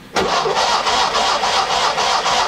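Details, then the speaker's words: Classic Fiat with separate starter switch, ignition switched off: the starter spins the engine at an even pace, about four compression beats a second, never catching because there is no ignition; cranks but no start. "that is the starter switch that means I can now see here even if I turn the ignition off I can operate the"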